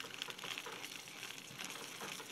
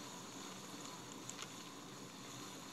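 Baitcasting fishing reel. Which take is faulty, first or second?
first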